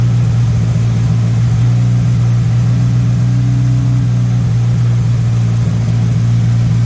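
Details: MK1 VW Rabbit with Weber 32/36 carburetor, no choke hooked up: steady, even hum well above normal idle, around 2000 rpm, no rise or dip; idle set too high during idle-screw adjustment.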